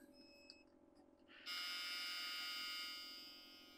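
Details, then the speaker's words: 2005 Alfa See Ya 40FD motorhome, about 17,000 miles, at startup: steady high-pitched low-air warning buzzer over a quiet cabin while air brake pressure builds toward the 40 psi threshold. "And that's why you hear that buzzer. It's a low air buzzer."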